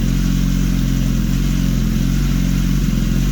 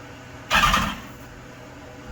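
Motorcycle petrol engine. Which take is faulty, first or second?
second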